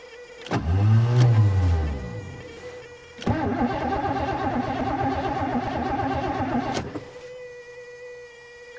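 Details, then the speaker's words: 1986 Mercury Marquis winter cold start in snow; steady thin whine at one pitch through key-on and cranking, sounds like fuel pump; owner suspects fuel pump relay problem, not confirmed. "hear the fuel pump ah what happened fuel pumps right there let's go check the relay"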